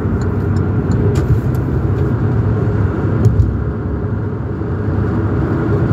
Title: Sports car loud rattling and making pop pop sounds like the engine is about to fall out